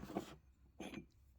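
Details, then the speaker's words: Used M83 HV high-volume oil pump from a 408 Windsor, turned by hand on the bench during teardown: two short dry rasping scrapes. Rotors and housing scored by metal debris passing through; pump drive shaft also worn. "You can see there's some scoring in there in the pump. You can see it on the outside. You can hear it."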